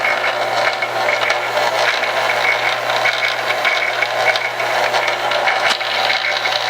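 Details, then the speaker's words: Staples SPL-TXC18A crosscut shredder found dead in trash, now rewired through the switch bypassing the paper sensor (no reverse): steady motor whir with light even cutter rattle, no binding or stalling; running normally. "okay so that appears to be working well now the only thing that with wiring it this way is you're not going to have the reverse"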